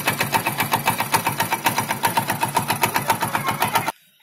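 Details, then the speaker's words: Hero Splendor Plus single-cylinder bike bought 2018, serviced outside the dealer, idling with a fast steady ticking beat; something rattling inside the engine, cause unclear. "कि वह normal आवाज नहीं है कुछ different है जैसे कि इंजन के अंदर से कुछ अजीब सी आवाज आ रही है"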